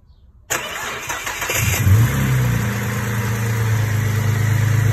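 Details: Holden Commodore VZ 6-cylinder with common no-crank fault, ECU not grounding the starter relay, started by manually pressing the starter relay in the engine-bay fuse box with ignition on: starter cranks about a second, engine catches, steady even idle; normal start.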